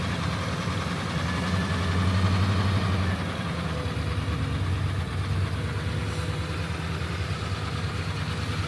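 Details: Suburban 6.2 Detroit diesel right after 25°F cold start on minimum glow plugs via manual button: steady low clatter at cold idle, about three beats a second, speed sagging a little; normal cold-start behaviour.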